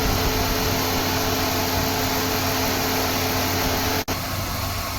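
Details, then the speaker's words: Ford Escape V6 after air-conditioning repair and a new radiator: both cooling fans running, blower on speed 3, giving a steady, even whoosh with a faint hum and no rattle or scrape; normal fan operation. "ไหมฟ้าทำงานปกตินั่ง2ตัวก็เปิดพัดลมสปีด3นะ"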